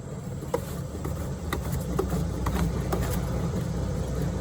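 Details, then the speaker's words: Chevy Trailblazer SS, front wheel spun slowly at about 1–2 mph: rough metal-on-metal scraping with gritty clicks about twice a second over a low hum, louder as the wheel spins faster; a worn wheel hub bearing, replaced. "so the faster the wheel spins the louder it's going to get and if you hear it it's that metal on metal type of sound so that leads me to believe it might be the Hub"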